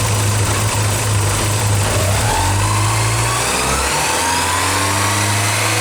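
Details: Early Porsche 944 with a leaky fuel pressure regulator: engine climbs on the throttle but wavers and stumbles as fuel pressure drops. It idles rough, nearly stalls after start, hot-starts badly and failed a leak-down test; a new regulator cured it.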